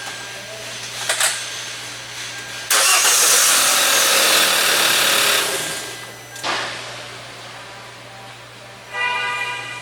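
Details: Hyundai Elantra GT with intermittent no-start: steady, even starter cranking, engine spinning but never firing; scope shows cam intake and exhaust signals but no crankshaft position sensor signal, circuit to be checked.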